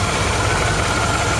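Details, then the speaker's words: 1956 Chevy small block V8 that had been run out of oil, idling after an oil and filter change. Steady idle with light, fast lifter ticking and no deep knock; the earlier rod knock has gone away. Lifter tick. "I hear a lot of lifter noise, but I'm not really hearing that rod knock like I was before. It kind of went away."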